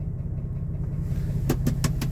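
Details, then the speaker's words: 2002 Jeep Wrangler TJ 4.0 L straight six, Banks turbo, about 257,000 miles, at idle: low smooth rumble with crisp knocks about six per second, worsening; first blamed on a lifter but new lifters didn't help, oil pan drop showed broken piston skirt. Piston slap. "My Old Faithful and I have a worsening tick coming from underneath the hood and I don't know whether to start up top or go down below"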